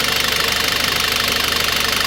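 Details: Citroën C4 2.0 idling with rapid even clatter on top, dry hydraulic lifter tap from oil not reaching the camshaft lifters; oil pressure or oil pump initially suspected.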